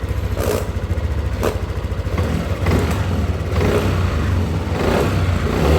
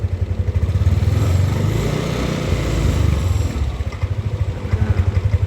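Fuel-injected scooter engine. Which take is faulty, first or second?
second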